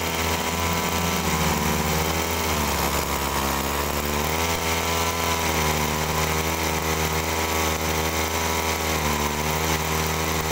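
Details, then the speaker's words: Agricultural sprayer's small two-stroke engine revs but pitch sags and wavers ("ngok"); still bogging, owner suspects carburettor/pump fault and plans to test with a known-good carb. "Nah jadi teman-teman di situ masih timbul ngok ya nah ini kalau timbul ngok kalau saya dengarkan ini sepertinya kurang boros ya"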